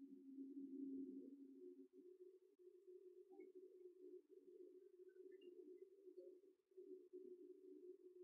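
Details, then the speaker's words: Gas boiler with power confirmed at the wiring centre: pumps come on and water circulates, only a soft steady fan hum with no ignition click or burner roar following; boiler fan failure, no ignition. "pumps come on I can hear the water circulating but the fan doesn't seem to want to do anything else"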